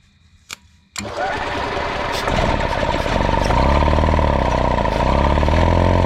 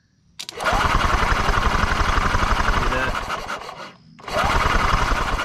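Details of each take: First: 1992 EZ-GO golf cart, 2-cylinder Robin engine that sat 16 years outdoors, started with starting fluid: cranks briefly, catches about a second in and settles into a steady low chugging idle with no stumbling and no smoke; normal idle. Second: 1992 EZ-GO golf cart, 2-cylinder Robin engine that sat 16 years outdoors, test-spinning with the ignition wire hooked up: fast, regular cranking with pauses, never firing, sparking only at first; cranks but no start, owner suspects the CDI is bad.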